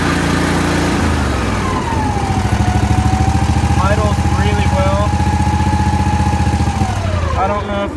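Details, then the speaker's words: Mower with a newer Kohler Confident 21 hp V-twin, no choke fitted, started at half throttle: fires up at once and settles into a firm, even beat of about four pulses a second; starts and runs properly. "But it's got a newer Kohler Confident or Confident 21 horse. I'm not a huge fan, but it starts and runs like it should."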